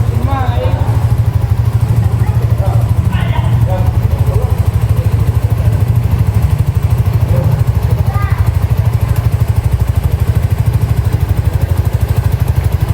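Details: Honda Supra GTR 150 with noisy engine, after replacing the worn, loose connecting rod and reassembling: an even, quick exhaust putter at idle with a steady beat and no knock or rattle. Engine runs smooth; normal idle.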